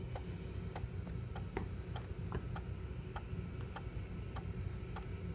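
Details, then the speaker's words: Macintosh PowerBook 165 floppy drive, just woken up with a disk inserted: sharp, slightly uneven ticks about once a second over a low hum; drive seeks roughly, cause not pinned down, owner hopes running it a while may help. "their drive does kinda sound like a thick cow I wonder if letting it run for a little while might be even cure for it"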